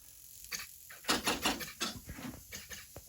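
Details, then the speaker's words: Twin-cylinder 31cc RCGF gas engine with CDI driven by an Rcexl ignition tester, engine not running: irregular rapid servo buzzing and twitching. Loose spark plug caps are arcing, causing interference that jitters the servos and throttle and stops the RPM gauge. "This is what happens when you have a loose spark plug cap. It twitches all your servos. You can hear it. Even the throttle's twitching a little bit."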